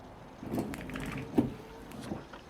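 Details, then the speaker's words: Same car wiper on wet glass after straightening the bent blade support so the rubber is aligned: smooth, even swishes with no stutter or chatter; normal sweep, chatter fixed. "não consegue mais trepidar. Por quê? Porque ele alinhou a membrana, a borrachinha que está raspando no vidro, ela está mais alinhada do que antes, então ele não trepida mais e não produz mais aquele barulho."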